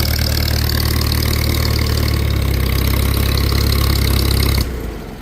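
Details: Old Farmall tractor at a pre-auction preview: steady, even low putter at idle with no knocks or misses, then the engine shuts off; a healthy idle.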